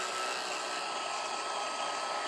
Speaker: notice it's playing up and down filling the bobbin you can adjust the tension right here I like to hear it whine a little bit that means it's putting it on with lots of nice tension